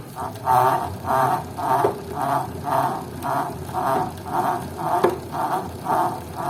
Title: TACX FLUX 2 strange noise